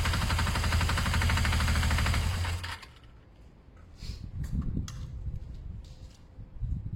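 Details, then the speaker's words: Engine idling: steady, fairly even tapping about four per second under the exhaust beat, then quiet; engine revs fine with no power loss, owner suspects it may just need fresh oil, cause unconfirmed. "don't know if you learnt that it's quite an engine knocking sound their idea to check the oil"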